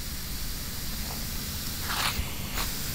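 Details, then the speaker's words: Propane tank being purged: steady rushing hiss swelling in short spurts as the valve is worked; bubbles show propane leaking at the fitting and the old valve packing. "leaking like crazy somewhere nope see the bubbles those are fitting is leaking but so is this so is this valve"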